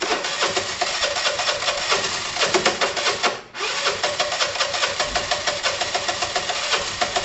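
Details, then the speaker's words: Dumped Piaggio Typhoon 125 scooter on a first start attempt, with only the spark plug changed and the coil wired directly. The engine pops unevenly, stumbles and nearly dies, won't hold idle and seems starving. The oil was later found very dry. "it's so so close it's so weird hi maybe a spray come on"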